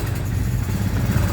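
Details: Engine first started cold in the morning after nearly two months of repair work: low, steady idle with a slightly lumpy beat, otherwise even; engine healthy, just wants a fine tune.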